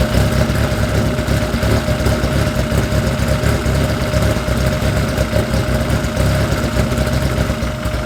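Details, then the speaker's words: Freshly installed engine with Rotella T4 oil, heat-cycling to purge coolant air, at about 110 degrees: deep, steady idle with an even, unbroken beat and no knocks or misses; running smoothly. "so right now it's at about a hundred and ten degrees I let it I let it get to about a hundred and sixty with the water pump on and then I shut it off and do the same cycle three times so this is one we'll do it two more times to make sure we got all the air out but it sounds great it sounds helping"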